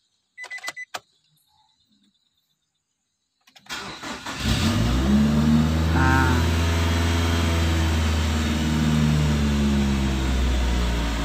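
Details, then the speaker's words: Nissan X-Trail T30 after tune-up, idle hunting: RPM surges up and down between 1000 and 2000 at idle; manual idle relearn failed, intake hoses and airflow sensor checked and ruled out; cause not yet found. "di RPM 1000-2000 dia naik turun ya teman-teman ya"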